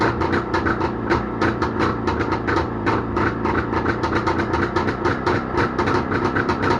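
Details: Jawa motorcycle two-stroke engine started after repair, with quick, even popping at steady speed, regular firing, no knocks, rattles or misses; normal running.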